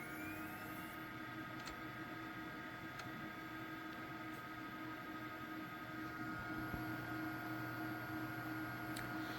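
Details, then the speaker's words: Custom 2.8GHz Celeron D PC after reseating processor, memory and graphics card: quiet steady fan hum, faint drive whir, soft ticks; hard drive working but no display; owner guesses a memory issue. "Nothing so far. Again, I hear the hard drive working, so I feel like it's booting, but it might just be having a display issue."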